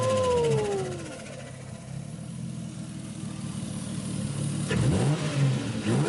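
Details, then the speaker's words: Engine just after Greddy turbo kit install, RTV-made gasket, boost controller vacuum lines routed: revs up then settles, crisp rising note over steady low rumble, no knocks or rattles; "sounds mean", normal revving. "Ooh, it sounds mean. Sounds mean, looks mean, sounds mean, must be mean."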